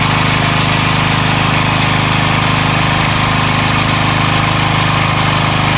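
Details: Craftsman 3HP Tecumseh lawn edger after a new carburetor, gas line and air filter, an oil change to remove water contamination, and fuel stabilizer added: constant, evenly paced buzz with no stumbling, surging or rattles; running smoothly.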